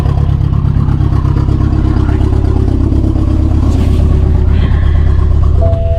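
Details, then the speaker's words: 2016 BMW 428i xDrive with drivetrain malfunction and cylinder 2 misfires, smoking from oil, no power, car shaking: heavy lumpy rumble with uneven beat and clatter; rough idle, owner suspects cylinder 2 coil. "The car was acting really funny. Is um the idle is really rough. The whole car is shaking. Has no power."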